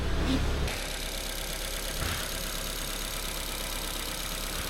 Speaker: load of dust but that's running sweet just got to run it up to temperature and that will be this one finished